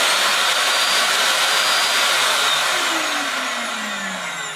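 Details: Samsung vacuum cleaner after its loudly humming motor was replaced with a new Samsung motor: high, even motor whine with a steady airflow rush and no growl or bearing rumble. Normal running after repair.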